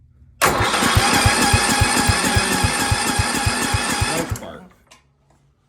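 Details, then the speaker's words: 1972 John Deere 110 with 8 hp Kohler engine, key on with jumper wire to the solenoid: steady even cranking about 3.5 beats per second for nearly four seconds, never firing; cranks but won't start, cause unconfirmed. "so we're going to turn the key on and we got this fine mighty fine jumper wire going to the solenoid since we have power but it just won't work"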